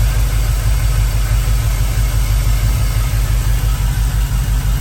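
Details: Fuel-injected Chevrolet C10 square-body chasing a miss: deep idle with an uneven lope, a lump about three times a second. Cylinder 7 runs coldest, but unplugging its injector leaves the engine running the same. Misfire at idle, cause unconfirmed.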